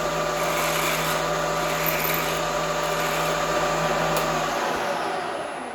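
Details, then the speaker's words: Drilling on the very edge of a part (Picatinny rail flashlight mount) with an unsupported pilot, fed hard at high RPM with long stick-out: harsh steady buzzing whine dropping away at the end, drill chatter. "So that sounds awful, which is unsurprising because it's really an unsupported pilot, and I'm feeding her pretty mean in there. We're running at high RPM with a lot of stick out."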